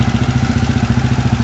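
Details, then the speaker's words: Horizon 250 single-cylinder motorcycle at idle after repair: airbox and starter motor removed to reach the cam chain tensioner; the earlier very loud engine noise is gone, and it now idles evenly and quietly with no chain rattle or tapping. "da diferença mais uma coisa eu posso afirmar tava um barulho horrível e agora ela está extremamente silenciosa"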